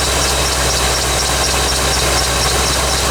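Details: 1985 C4 Corvette V8 at cold idle on a 14-degree morning after the negative battery cable connection was fixed. Even, steady idle with a smooth low rumble and no knocks or misses; normal warm-up.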